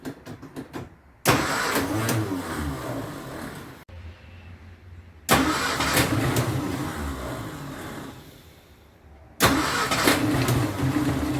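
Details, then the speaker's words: 1953 Austin A40 Somerset before its tune-up, air cleaner top off: engine cranks, catches and stumbles roughly with heavy vibration, dying between tries, with popping back through the carburetor; this suggests ignition as well as fuel problems. "that popping back through the carburetor is a sign of ignition problems as well as fuel problems"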